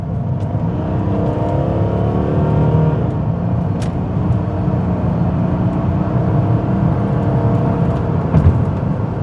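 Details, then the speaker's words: 2003 Renault Vel Satis 3.0 V6 DV6 turbo diesel automatic, two tonnes, driven uphill at full throttle at national speed limit: deep, even diesel note climbing smoothly, no knocks or misses, old-school diesel sound; healthy acceleration under load. "Bit old school diesel style. Oh, it does sound nice."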